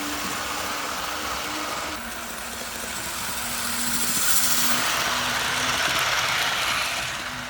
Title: TYCO Green Thing! Test Run of Burlington Northern GP-20 after repairs